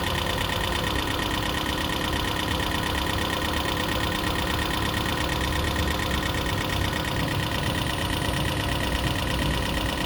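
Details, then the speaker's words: 2012 Prius V engine at steady idle after head gasket rebuild and computer replacement: uneven light knock roughly three per second through a busy buzz; owner hopes lifters are adjusting and it will clear up, cause unconfirmed. "not a good noise, but it's supposed to clear up, burn out."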